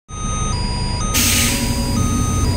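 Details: Howo 371 dump truck at diesel idle with maxi brake released: two-pitch warning alarm alternating nonstop with brake warning light and stop warning, a brake system fault from a shorted air pressure sensor.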